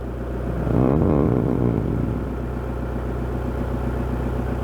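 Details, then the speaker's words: VW/Audi 1.9 TDI diesel idling after timing belt replacement, fuel pump quantity regulator change and pump timing adjustment: even steady clatter after brief rev, no misses or vibration; injection quantity about 2.8 at idle, runs nicely, fixed. "So it's done. It runs nicely now, no vibrations, everything seems fine, and injection quantity is about 2.8, and it should be in this range."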